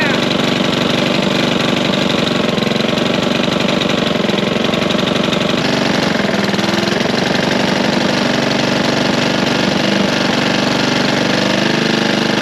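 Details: Curbside Honda push mower after a loose flywheel was fixed and Seafoam added, smoking heavily: rough, loud running with an uneven knocking pulse about four a second that wanders as the engine hunts; knock reduced but source unclear.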